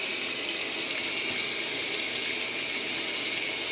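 Steady even hiss of water pouring into the tub, no hum, knocking or sputter; normal fill at the start of the cycle.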